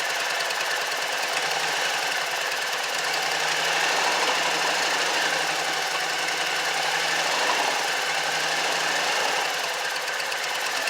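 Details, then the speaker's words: Exmark mower Kawasaki twin with two-barrel carburetor, valves already adjusted, one side clogged with rust and water: rough uneven running that evens out as the dead cylinder fires on starting fluid; carburetor fuel fault. "once it starts running you can hear the other side kick on it so I know it's a carburetor issue government so if you lift it closed and I spray a little in here you're gonna hear this cylinder kick off"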